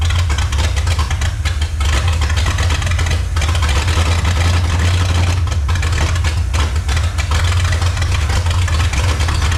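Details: 1954 Chrysler New Yorker 331 Hemi V8, first run after 50+ years in a salvage yard: deep, lumpy uneven idle with stumbles; carburetor pouring fuel, owner suspects sticking float, needs tune-up and carb rebuild.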